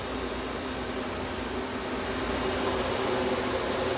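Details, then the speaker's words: Small compressor in a homemade air conditioner at first start-up, run without the solenoid valve (removed after solder restricted it). Even low hum with smooth airy hiss, no knocks or rattles; normal compressor running. "I just want to plug the compressor in at least you can hear it come on now there you go compressor runs nice and cool"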